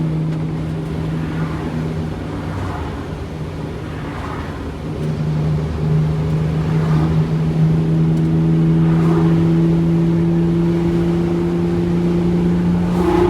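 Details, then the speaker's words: Wanderlodge bus with Detroit 6V92TA diesel after main bearing, brake, turbo boost work; boost climbing 15 to 17 while pulling under load, short resonator exhaust nearly too loud; deep steady drone building smoothly, no knocks or misses; healthy. "is this thing straight piped no it's got a short resonator on it but it's getting to a point where it's borderline too loud especially at 5am when you're leaving early"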